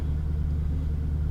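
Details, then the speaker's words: 1997 Jaguar XK8 after installing a remanufactured ECU to fix bad solder joints causing misfires and no-start; low, steady, even idle with no stumbles, warming up, running better. "we're gonna let it run we're gonna let her warm up see how she behaves already acting better"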